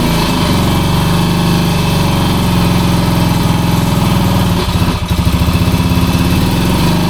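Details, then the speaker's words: 1966 Honda C200 motorcycle, off the road since 1972, on full choke. It runs with a loud, low, uneven chugging idle that stumbles midway, so it is running rough. The owner suspects petrol is not getting through. "Oh, it don't sound well, but it runs. That don't sound well at all. It's not well."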